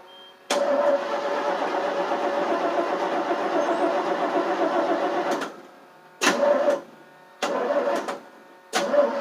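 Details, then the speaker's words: 1988 FMC 6000 with a 5-speed, cranked on boosters with the gas pedal floored: a steady five-second starter whirr, then short cranking bursts with no firing; owner thought it needed starting fluid, but no fuel was reaching the carb. "Probably needs starting fluid, I think. Stupid thing isn't starting."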